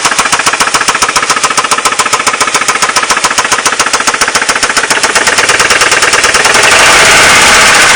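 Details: Ford Mondeo Mk3 1.8 petrol idling with a loud fast metallic rattle that overwhelms the engine sound; the owner does not know the cause.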